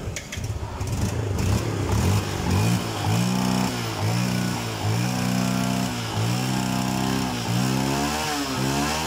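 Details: Yamaha Vega ZR/Force fuel-injected motorcycle that died because its fuel pump gave no pressure, after a fix using a Jupiter Z1 part fitted with the old spark plug. It catches on the starter and revs up and down cleanly with even firing; running normally.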